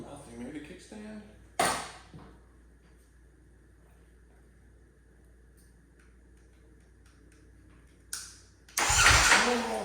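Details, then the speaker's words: Salvage Ducati Panigale V4S, new kill switch wiring, tip-over sensor and gauge connected: after near silence a short fast whirring crank near the end with no catch; starter turns but engine doesn't fire. "all right guys we were not able to get this bike started in the last episode but we've got that new wiring connected for our kill switch we got our front tip over sensor attached got our gauge connected Let's see we have some luck this time"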